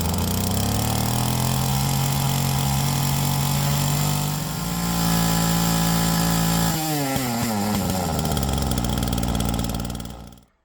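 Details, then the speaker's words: Flymo Maxi Trim 430 two-stroke strimmer after carburettor rebuild with new diaphragm and mixture leaned: steady buzz rising as it is leaned, clean and even, then dropping smoothly at shutdown; now working properly. "Okay, so it seems like the strimmer's working properly now."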